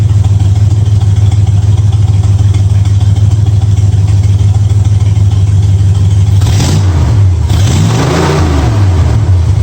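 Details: 1965 Ford Mustang V8 with new headers, timing at 12 degrees before, idle screw turned three quarters of a turn: steady low idle rumble, then a couple of clean throttle blips settling back smoothly; sounds real good, normal idle.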